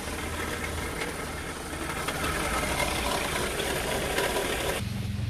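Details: Renault Clio 3 1.5 dCi diesel at idle: fast uneven mechanical rattle and whir from the accessory drive, traced to a worn alternator bearing.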